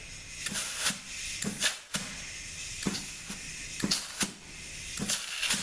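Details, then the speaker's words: ZF6HP26 transmission from a Jaguar on the bench, valve body overhauled, A and E clutch packs air-checked before valve body and pan go on: short sharp air bursts that cut off cleanly with no lingering leak hiss; packs apply and seal. "all right so before we put this valve body and pan on uh we can give it a quick air check right so this is going to check our A and E clutch packs"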